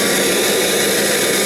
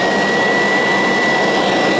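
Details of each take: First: Kirby Legend vacuum with no belt lifter fitted: steady airy roar with a faint thin whistle on top. This is an air leak caused by the missing belt lifter. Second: Kirby Sentria 2 vacuum with a retrofitted metal fan: loud, steady high-pitched whoosh with an even whistle on top, holding a constant speed. Normal, smooth running.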